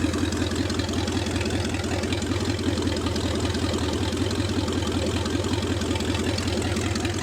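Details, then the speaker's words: Rebuilt Lincoln 368 Y-block V8 on an engine run stand, not yet at operating temperature, about 70 psi oil pressure, just above 1000 rpm: steady even low rumble, no knocks or misses — normal idle. "so she's running great and we'll take a look at gauges here we're not at the operating tempo honest Li 70 pounds oil temp still hasn't moved off with the needle there"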